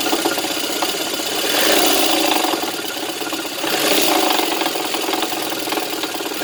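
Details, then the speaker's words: VAZ 2110 engine running with a loud, fairly fast knock over the idle, rising with revs; source unclear, water pump possibly suspected. Engine knock. "Ну вот десятка, стучит что-то сильно."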